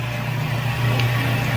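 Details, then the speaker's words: GE Filter-Flo washing machine on spin: the motor hums low and steady but never builds up spin. The worn clutch (clutch dust on the drum) is slipping so the drum barely turns, while the pump drains fine. "It'll pump out fine. It drains great, but it just won't spin very well. It'll never sling water because it's not. It just doesn't have that clutch is just slipping."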